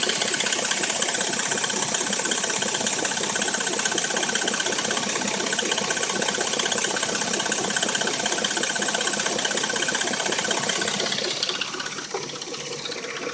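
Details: Dodge Intrepid at warm idle: fast, even ticking rattle, about three per second, top-end sounding, with a knock, both absent when cold; owner suspects timing chain.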